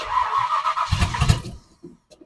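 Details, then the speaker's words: 1970 Ford Falcon with a 5.0 small-block Ford swap after a carb rebuild, choke disconnected: the engine catches, runs rough for about a second, then dies; the carb bowls were found completely dry, so a fault from the rebuild is starving it of fuel. "I'm running out of fuel so something's not working"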